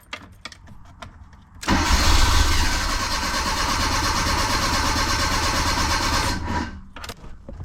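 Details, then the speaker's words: 1984 Bertone X1/9 fuel-injected, no start: nearly five seconds of steady starter cranking at about four beats a second without firing. The fuel pump's pink/black wire is fed through the windshield wiper fuse, which was pulled. "turn it off put it back in you stupid get your stupid turn car on turn on wipers wipers are wiping pull this fuse turn on car start"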